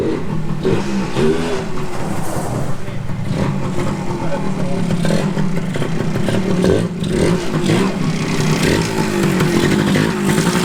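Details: 1981 Suzuki TS250 two-stroke, after carburetor bore setting corrected, kick-started: buzz picks up cleanly as throttle opens and settles back without stumbling; pulls strong and sounds healthy, normal running.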